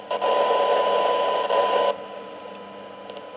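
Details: Kenwood R-5000 receiver that arrived totally dead, during a 12 dB sensitivity test: a steady mid-pitched test tone stands clearly above light hiss at about −123 to −124 dBm, showing normal receiver audio with excellent sensitivity.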